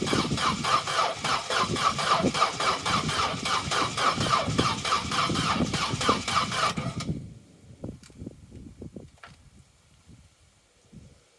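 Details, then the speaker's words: Vauxhall Corsa B that sat neglected 4-5 years, cranking after fresh fuel added: sluggish even cranking about four beats a second, never catches; owner plans spark plug fuel and spark checks. Slow cranking, no start. "it's turning over but it's not turning over as fast as it really should for when you're trying to start"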